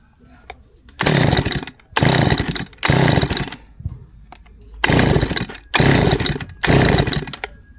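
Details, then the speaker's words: Stihl FS160 brushcutter, about 30 years old, never serviced, laid up over winter with old petrol, now on fresh ethanol-free fuel: six rasping pull-cord bursts with no catch or firing; won't start, service to follow. "Start you bastard. Start you bastard. No, even shouting start you bastard's not going to work on this one, I'm afraid."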